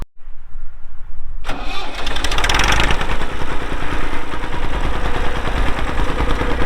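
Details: 1990 Massey Ferguson 231 tractor, Perkins diesel, 2,898 hours: brief quiet, fires on first crank and drops into steady, even idle clatter; normal start and idle.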